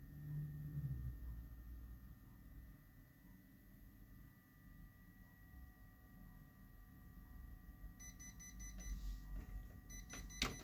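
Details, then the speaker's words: Kyocera P3145dn laser printer at power-on hums and chirps, then loud irregular cracking as the drum drive turns, with paper jamming near the drum; worn drum drive gear (Z128R 302L231040), not a seized drum unit, replaced. "Вот такой ужасный треск он издаёт. Вот зачастую проблема идёт в блоке барабана, его заклинивает, но не в этом случае."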